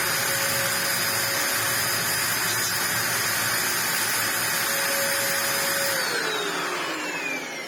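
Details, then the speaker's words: Ewbank Motion EW3001 corded upright vacuum runs with a high strained steady whine and no air rush, then winds down; no airflow at all from a complete clog in the hose, cleared to restore suction. "I'm going to go for full, complete clog, because there is there's not even a little bit. There is no airflow coming from here."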